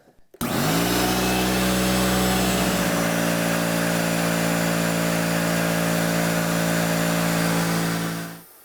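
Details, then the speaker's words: Electric air compressor, tank being filled after power-on, steady motor drone with even pumping beat about four per second, then clean automatic shutoff at its 150 PSI rating; regulated outlet then set around 120 PSI; normal running. "the compressor stops once it gets filled to whatever the rating is for it. In this case, 150 PSI."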